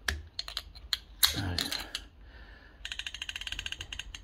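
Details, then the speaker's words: Rover P6 rear brake caliper on bench after partial rebuild (piston popped from bleeding before handbrake adjustment): quick run of light, evenly spaced ratchet clicks as handbrake adjuster lifts and winds back; normal. "See it lift up, and then it drops back a bit. And you can hear it clicking while it's adjusting."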